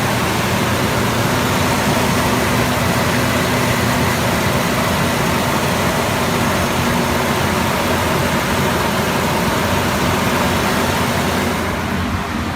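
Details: 2004 Ford Explorer 4.0L V6 after a throttle body cleaning, with intake reassembled, idling to relearn the throttle body: steady, even low rumble with no hunting or surging; engine running really good.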